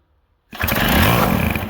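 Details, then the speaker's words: 1979 Sno-Runner two-stroke snowmobile that sat on a shelf for years with no carburetor; gas sprayed into the intake, a couple of pulls, then it fires sharply, revs hard for about a second, spins the track breaking paddle bits, and fades. "I cannot believe it but after all those years sitting up on the Shelf no carburetor or anything covered in dust bring it down a couple of tugs and that thing flamed right up"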